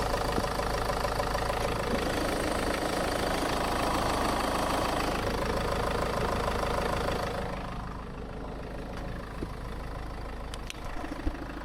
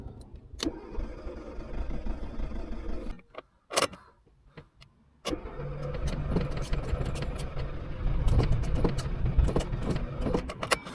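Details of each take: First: Steady, even idle after a radiator and coolant job, with the system being bled and the heater blowers on max (no AC) while checking for leaks. A loud heater-fan rush drops away partway through; no misses or knocks, the engine runs clean. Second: Car brought to a mobile mechanic for a non-start after a dead battery; cranked cold on a jump pack in neutral with the accelerator floored. Repeated cranking bursts and stalls, then a rough, struggling catch with smoke as fuel burns off. The engine was flooded with fuel.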